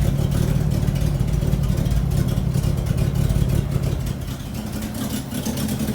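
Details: 1975 Bedford CJ with a loud, low chuffing rasp at idle that swells as the engine is revved. Finding: a nasty exhaust leak.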